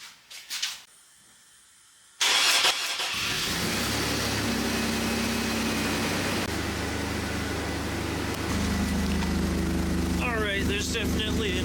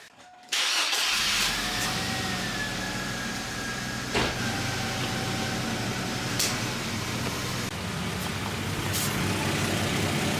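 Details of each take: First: 2002 Chevy Blazer 4.3L V6 Vortec, starting and idling after welding in a new exhaust system, with an uneven puffing tick from an exhaust leak at a poorly sealed clamp joint. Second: 2002 Chevy Blazer 4.3L V6 Vortec after transmission solenoid replacement, MAF diagnosis and newly welded exhaust system; cranks and catches in about half a second, then a steady, even idle running really smooth: normal.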